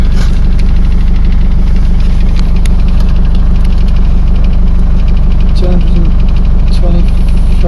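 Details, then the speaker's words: Mercedes Sprinter 903 CDI diesel that cranked without firing in cold weather (new glow plugs didn't help), first start after fitting a reconditioned starter motor; loud steady even-beat clatter, no stumbles; normal idle. "so here we are right first start with the new starter motor let's see what happens wonderful so good"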